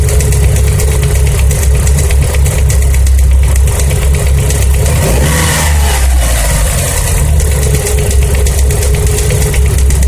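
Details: Mitsubishi Lancer Evolution 4G63 engine revving then settling to idle: fine, quick tapping that follows engine speed, from the cylinder 1 intake side; valvetrain tapping noise.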